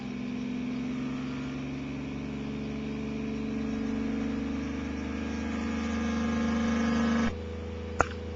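Steady electric hum with a fine rapid pulse that lifts slightly in pitch as it picks up speed; motor running properly once tuned.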